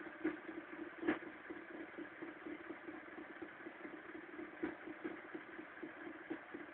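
Cold idle with a thin steady drone and irregular sharp ticks now and then; it runs rough when cold, cause not evident.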